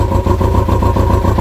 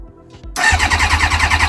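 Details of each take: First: Kawasaki ZX-6R running for the first time in 10 years after carb cleaning, warming up with a direct fuel line from tank to filter. Steady, even idle ticking over cleanly on its own; slightly smoky but clearing. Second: Kawasaki ZX-6R carbureted motorcycle, first start attempt after 10 years stored and carbs cleaned, with choke, fuel pump running while cranking: long even starter churn about 3.5 beats a second for over ten seconds without firing; fuel later found dripping.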